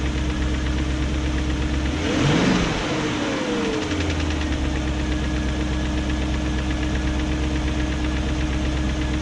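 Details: 2001 BMW E38 740i V8 idling after new timing chain, guides, tensioner and VANOS profile gaskets: quick light top-end ticking persists; no codes, idle good; owner suspects VANOS unit, cause unconfirmed.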